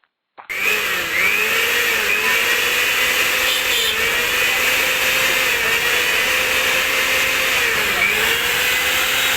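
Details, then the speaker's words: Sujata mixer grinder motor after removing rust that had seized it: spins up from silence to a steady, high, even whine with no grinding or scraping; running freely and fast after repair. "ಹಾಗಾಗಿ ನೋಡಿ, ಈಗ run ಮಾಡಿದ್ದೇನೆ, ಕ್ಲೀನಾಗಿ run ಆಗ್ತಾಯಿದೆ, ತುಂಬ ಫಾಸ್ಟಾಗಿ ಕೂಡ ಓಡ್ತಾಯಿದೆ."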